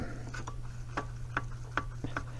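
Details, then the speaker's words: EZGO golf cart Robin engine, hard to start and low on power, torn down with a visible large piston-to-wall gap; sharp, hollow clacks about twice a second as the loose piston rocks in its worn bore, piston slap. "Yep. You can hear it. Piston slap."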